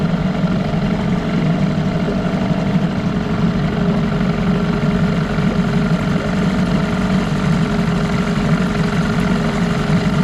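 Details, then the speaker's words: 1989 Evinrude Yachtwin 6 hp outboard, sold as smoking under throttle with a bad crank, piece JB-welded: steady idle with a dull clocky knock every turn that never smooths out, a crankshaft knock. "it's just a shame that that crank is like that because it's not in that bad shape but there's still a lot of good parts on that"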